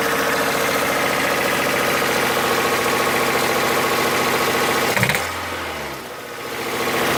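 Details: Toyota 4A-FE engine held at raised revs with a quick, steady knock that fades as revs drop; the owner cannot identify the source: engine knock when revving.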